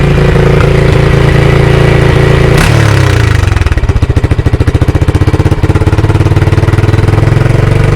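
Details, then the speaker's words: 2022 Honda Grom before repair, engine management light on and smelling rich. Idle runs fast on its own after a throttle blip, then drops into an uneven, stumbling putter, missing; it only revs to 6,500 in every gear. Faulty throttle position sensor. "So you get a wee blip of the throttle and it'll just sail away. It's going fast idle itself. And then usually when you're out on the road it'll only go to 6.5. Right. Every gear. And you can hear it missing as well."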